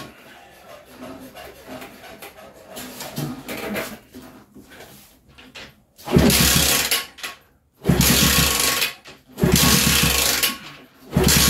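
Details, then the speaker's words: Kids' 50cc mini chopper toy motorbike (chain, kickstart and electric starter, no battery), first start attempt: short rough bursts that catch briefly and die, won't keep running; owner suspects a filthy carb and tries bypassing it. No-start. "let's try it again i reckon that carbs filthy let's try and bypass them"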